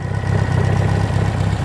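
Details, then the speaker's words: 1968 SportCraft Adventurer, Renault 60 HP inboard/outboard on hose water, after transom stiffened and marina carb adjustment for earlier rough running: steady even low idle with regular firing pulses, no misses or surging; idles healthy. "I'm very confident that the marina said the boat was okay, but needed some attention, and I've given it that attention. You can hear it perking right along."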